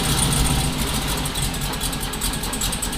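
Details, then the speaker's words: 1974 Chevrolet Nova, twin-turbo 5.3 L33 LS swap: lumpy uneven idle with deep uneven pulses; starts on front four injectors only, won't run on rear four; owner suspects bad, dirty or plugged injectors. "so if I unplug the front for it won't run I won't start nothing if I unplug the rear for I can start it with just the four front ones"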